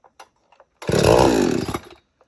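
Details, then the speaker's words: Two-stroke chainsaw on 50:1 mix, cold, choke on, chain brake on, started on the ground: one pull fires it, a one-second rising buzz, then it dies back as expected. "Now you're going to pull it for a little bit, probably once until you hear it fire. Just like that."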